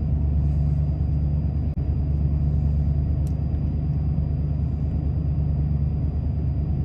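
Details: 1993 Ford F-150, about 110,000 miles, at startup: low lumpy idle with uneven pulse and slight stumbles, hunting in limp mode; codes 998 and 122 indicate failed throttle position sensor, part on order.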